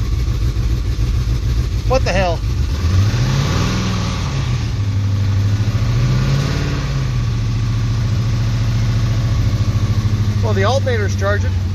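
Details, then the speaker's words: Plymouth Cuda hemi V8 built 2005, heat-seized from overheating, started after 10-15 years in storage with a little fresh fuel: uneven rumble and two revs with a rough knock that gets quieter; good oil pressure, blue smoke. "that runs not happy I oh there's everything knock it actually's gotten quieter"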